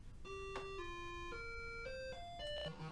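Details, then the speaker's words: Atari 600XL with TinyComp composite upgrade running built-in diagnostics: clean steady tones stepping through pitches, each held about half a second, no buzz or dropout; audio output normal. "the video looks correct and the sound is uh just fine so basically i think our unit is uh working just as expected"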